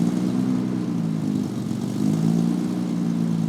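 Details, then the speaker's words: Datsun 280Z with FAST EZ EFI retrofit kit running rich, cold start: idle hunts up and down unevenly, air-fuel ratios all over the place, happens every cold start and not yet fixed; hunting cold idle. "you'll hear it goes up and down. Whenever it's a cold start, the idle is all over the place, along with the air-fuel ratios, and I haven't been able to fix that."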